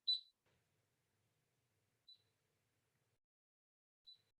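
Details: Bosch Solution 3000 alarm panel armed in away mode from the app, with a low battery: single short high beeps every two seconds in a quiet room during the exit delay countdown.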